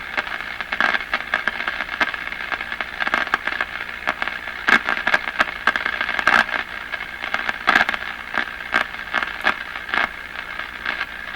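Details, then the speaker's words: Crosley 43FB farm radio at its first power-up after 50 years of silence: sharp, irregular crackles and pops over the reception, more than normal static. "A little much on the crashing. Okay, let's swing it around here."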